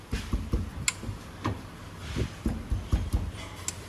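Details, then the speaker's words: Toyota Innova: irregular dull clunks, several per second, as the drive shaft is rocked by hand. This is excess play in the tripod (star) joints, which make a noise they shouldn't; all three are to be replaced. "പിന്നെ star joint 3 നല്ല അടിയുണ്ട്, അല്ലേ. ഈ sound വരുന്നുണ്ട്. ഇങ്ങനെ തട്ടും ഈ sound കിടുക്കുന്നുള്ളൊരു sound വരാൻ പാടില്ല."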